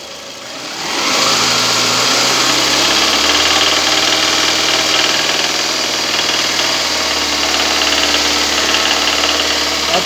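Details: Toyota Camry 40 petrol engine idling with a faint regular knock about four a second, idles well but knock comes with throttle; traced to cylinder two connecting rod, either wrist pin or bearing shells.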